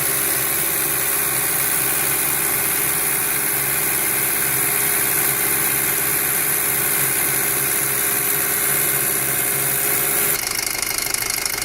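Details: 2007 Passat 2.0T at steady idle: loud hissing, whirring wash of noise with no clear knock; abnormally loud engine noise, source not obvious.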